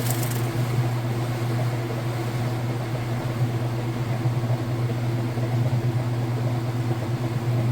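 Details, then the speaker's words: Whirlpool Super Capacity Plus direct-drive top-load washer, three-speed motor, spinning out after final rinse: even low steady hum at one pitch, no thumps, rubbing or grinding; normal spin. "is getting going faster and faster and once again at home when you get this home if you were at this point and lifted the lid up it's going to shut the machine down nice safety feature there"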